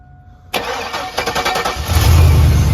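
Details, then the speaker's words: Chevrolet with a crank-no-start fault and no fuel pressure. After fuel was sprayed into the throttle body it cranks and catches with ragged beats, then sags and dies on throttle and won't restart. A bad fuel pump is diagnosed; a clogged filter is possible. "Give it some gas. Boom, and see, when he tried to give it some gas, it died immediately. And now it won't turn back over."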